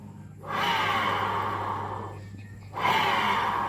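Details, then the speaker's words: Honda Vario scooter rear wheel spun by hand with the rear driven pulley fitted gives a rough, gravelly whirring growl fading as it slows; worn driven pulley bearings, to be replaced with new. "oke ini masalahnya berada di bagian lahar pulinya ini lahar pully ini mimis dari luar lahar dari dalam ya ini kita akan ganti dengan mimis dan lahar yang baru"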